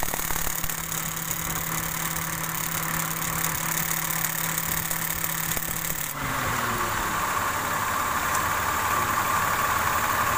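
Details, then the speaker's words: Mitsubishi Mirage idling with AC on: rough, rapid crackle from the AC compressor that disappears when AC is switched off; compressor found dry, no lubrication on the compressor plate. "Nah, jadi untuk kasus bunyi kretek-kreteknya karena pelumasan pada plate kompresornya itu sama sekali nggak ada. Makanya ketika dinyalakan AC suara bunyi kasar."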